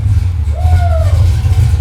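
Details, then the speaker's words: Junkyard 6.0 LS truck engine (cam kit, Tremec TKX) in a '64 Nova, first fire-up with the new exhaust and mufflers: deep, even V8 rumble with a brief whistle, sounding smooth and healthy; normal running. "man little old junkyard truck motor sounds pretty healthy"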